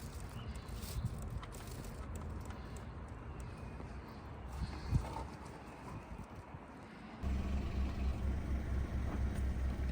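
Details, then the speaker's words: 1-litre engine after a P0301 cylinder 1 misfire, with the ignition coil refitted and the fault code cleared: a low, even idle holds steady with no misfire and no engine light. "As you can see, it's solid, staying there, not misfiring, which is good news."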